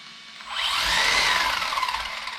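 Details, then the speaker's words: Team C Jekyll RC buggy converted to brushless. The motor whine swells slowly with no sharp snap, a sluggish throttle build-up. The cheap ESC is suspected, or possibly a bad connection. "That's really progressive. It's not. There's no explosive power there. It was like whoop. It had a really slow build up."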